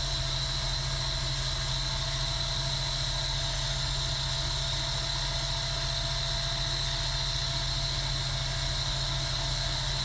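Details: Sega Dreamcast GD-ROM drive, suspected failing capacitors, after reclosing tray: steady even whir and hum at one pitch, no seek ticks, spinning disc but not reading; reading works after reopening tray again.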